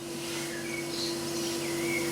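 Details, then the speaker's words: Vending machine refrigeration compressor using CO2 (R744) refrigerant. Now a smooth, steady mid-pitched hum with no knocking or rattling. Normal compressor running. "it just pumps like stupidly High pressures to keep that whole system sustained it's unbelievable here um I don't do it [Music] CO2 also known as r744 see it sounds good now"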